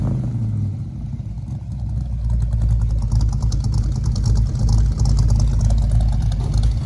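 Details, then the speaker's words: 1964 Mercury Comet 302 V8 after FloTek 180cc aluminum heads, Trick Flow Stage 1 cam, Victor Jr. intake, 1-5/8" headers, catch can, new fuel filter and plugs, issues sorted: deep even rumble climbing smoothly on throttle, no misses or knocks, healthy. "and we'll wrap this video up listen to that sweet 302 sound oh"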